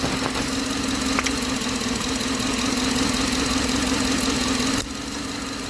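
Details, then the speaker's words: 2007 Chevy Tahoe 5.3 at 310,000 miles with a P0300 misfire, idling during a cylinder cut-out test on cylinder 2 (passenger side): the idle drops slightly in loudness and tone, so that cylinder is firing. Slight change on cut-out. "it did change just a little bit"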